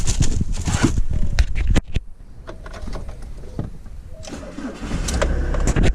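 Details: 2003 Ford Transit school-bus conversion campervan, diesel, fully serviced: cranks briefly, catches quickly and settles into a steady low idle with no odd knocks; a clean, healthy start.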